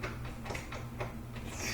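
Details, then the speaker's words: Treadmill incline won't raise or lower, cover off: the elevation motor hums steadily while light clicks come about four a second as its gear skips, probably because a loose nut lets it lose contact with the mating gear; tightening it may fix it. "it could be skipping just because this this guy's so loose it's probably just this loose this loose nut would get that tighter and then this can't move as much so it should make better contact with this gear that might fix it"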